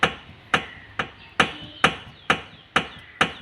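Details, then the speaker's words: Maruti Suzuki Alto front suspension, clunking over bumps; wheel rocked by hand gives sharp metallic clunks about twice a second with visible up-down play at lower arm; worn lower control arm ball joint, lower arm to be replaced. "Lower ആം ആണ് ആ sound കേട്ടോണ്ടിരിക്കുന്നത് അതുപോലെ തന്നെ lower ആമിന് താഴോട്ടും മുകളിലോട്ടും ഉള്ള play നമുക്ക് കാണാനായിട്ട് സാധിക്കും"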